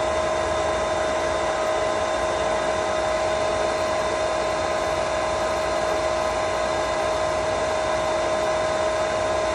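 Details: Pentair SuperFlo VS/VST variable-speed pool pump at startup: a loud, even whine with no surging or rattling as it primes flat out at high speed before slowing to 3200 rpm for solar. Normal priming.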